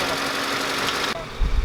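Loud busy engine noise cuts to a low steady idle rumble with some lumpy pulses; engine running normally.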